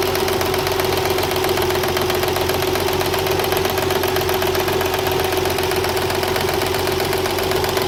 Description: 1993 TT 300ZX that knocks and whines cold. New Water Pump, Belts are tight and there are no leaks. Problem disappears when engine reaches 189 degrees.